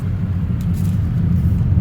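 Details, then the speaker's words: 2024 Tesla Model 3 Performance while driving: steady low road rumble with no dash rattle once the dash area near the LED strip is pressed, after rattle heard there; foam later added above the LED strip. "the rattle goes away see so let's see if I can fix that"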